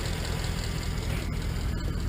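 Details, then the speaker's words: 1951 Ford COE truck running on natural gas at idle: steady low rumble with faint quick diesel-like clicking; normal natural gas injectors clicking. "you can kind of hear it clicking kind of sounds like a diesel that's actually these injectors right now those injectors are clicking away given feeding the motor natural natural gas"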